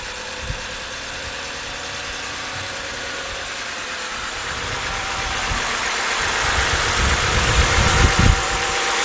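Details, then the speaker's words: 2011 BMW 328i 3.0 with code P0302, cylinder 2 misfire: the petrol engine idles roughly and unevenly with a regular stumble and thumps, with more wrong than just the misfire. "That's more of a, well, there is a misfire, but there's definitely more to this than meets the eye."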